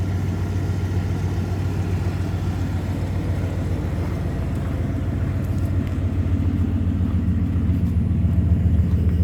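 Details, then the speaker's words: 1993 Ford F-150 V8, now warm: idle smooths into a steady, even rumble and check engine light goes out; owner suspects a vacuum leak present only when cold; normal warm idle. "and the check engine light goes out and the idle on this thing Smooths right out you hear how good this thing sounds right"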